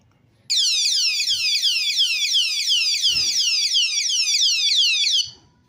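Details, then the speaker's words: Bigniu disc brake lock alarm: loud, high swooping siren chirping about three times a second for roughly five seconds when triggered; disarmed with the key. "And you can disarm the alarm by doing the key. Once you do the key, then it shuts it off."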